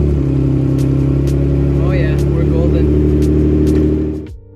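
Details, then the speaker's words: 2007 Toyota FJ Cruiser manual that previously ground badly engaging reverse, retested after repair with no exhaust fitted: steady low engine drone as reverse engages on slow clutch release, no grinding, clean engagement. "but this one i've already tested it um i have no exhaust hopefully my neighbor's not gonna kill me or get mad at me so put it in reverse slowly let go of the clutch"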